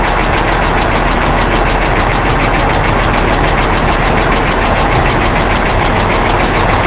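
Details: BMW E46 just after start-up: loud fast even ticking over busy idle, audible from inside the car, occurs sometimes and usually fades after a few seconds but can last over a minute; cause unknown.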